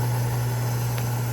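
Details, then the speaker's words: Rebuilt 1949 table saw, new motor just mounted with pulley aligned and belt snug, run without a blade: steady, even low hum with no knocks, rattles or wavering, good belt tracking; the motor runs smooth. "motors running smooth i think we can give it a test"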